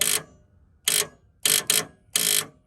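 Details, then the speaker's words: 1984 Fox Body Mustang, 40k original miles, sat 20 years, in neutral: key turn gives a few sharp separate clicks with no cranking, starter solenoid chattering on dirty battery connections; battery also suspected dead. "That means the battery's dead. Let me check these connections real quick. They're pretty dirty."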